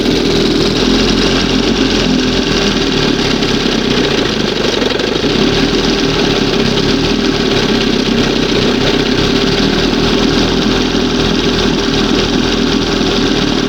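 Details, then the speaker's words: 1971 Johnson 20 hp outboard fitted with donated points and new condensers, warmed up and at a fast idle. It runs steadily with a slight unevenness in its note: still slightly rough but basically sound. "Still a little bit funky here, but sounds good. Something sounds something something."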